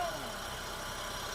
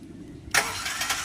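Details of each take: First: Honda VTEC after starter repair for a Bendix drive that slipped off the flywheel when starting: starts and settles to a brief steady, even idle hum with no grinding or clatter; normal idle. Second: Honda VTEC, cranking: starter bursts into sharp high grinding whir instead of turning the engine over; Bendix drive slipping off the flywheel, to be removed and replaced.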